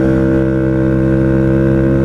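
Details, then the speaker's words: Honda Ruckus CVT after the sliding guide that was installed backwards following a valve adjustment was corrected: even, steady engine drone with no slipping or rattle; belt drive sounds better, normal. "that sounds better I think it sounds better"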